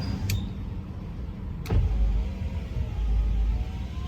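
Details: 2004 Ford F150 FX4, passenger-side power window cycled during voltage testing while the driver's side would not roll up: a smooth, low motor hum with a clean clunk at each end of travel. The window motor sounds healthy.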